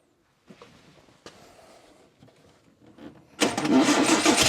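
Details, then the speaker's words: 1960 Triumph TR3 after a crank-no-start, first running after filling empty float bowls; cranking clatter, then it catches and settles at a fast, busy idle, clearly too high; carbs slightly out of balance. "So once I got it running here, the idle speed was way high on it. Cars were just a hair out of balance."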